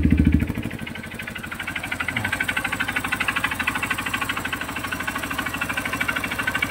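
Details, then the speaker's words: Honda CRF150 single idling with the exhaust covered by hand: uneven idle with a hard, sharp, loud clattery knock from low in the engine; owner suspects the connecting rod, teardown planned next day. "So CRF to guys CRF 150. Maingay talaga. So sa mga ganyang tunog guys, connecting rod yan. Possible connecting rod."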